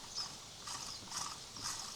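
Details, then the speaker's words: Old alternator from a Kubota Saturn X24 tractor that lit the charging light, turned by hand: a faint, scratchy ratcheting rasp; owner says it sounds like a bearing though there is no play, and suspects the brushes. "słyszycie, trochę hałasuje, tak jakby łożysko, chociaż ja to luzów nie czuję. Możliwe, że to są szczotki."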